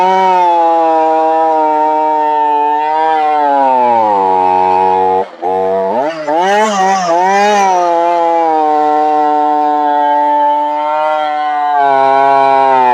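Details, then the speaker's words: Brand-new two-stroke chainsaw on its original oil, before cleaning and switching to Cerma products; revs high, then pitch sags hard and stumbles as it loads, recovering slowly, bogging down quite a bit under load. "as you can hear it didn't do real good bogged down quite a bit actually"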